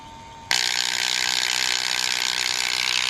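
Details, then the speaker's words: Rear driver door window motor from a 1986 Chevrolet C30 dually, bench-tested; the window stopped halfway down. Rapid high-pitched ratcheting clicks as the motor turns but its gear doesn't spin; stripped internal gear suspected. "and there you have it so that's what it was doing in the truck it would just go halfway down like about that much and then stop so something in here is messed up"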